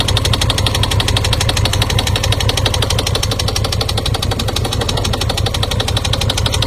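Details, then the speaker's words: Brand-new 2018 Honda Gold Wing 1800 with only 2,000 miles, at idle: sharp fast regular tapping about three per second over the idle, a knock from inside the engine; cause not stated. "someone sent me video of their 20 their brand-new 2018 the bike is knocking the engine was knocking what's your thoughts JC on a 20 1800 going that's knocking in the bike only has 2,000 miles"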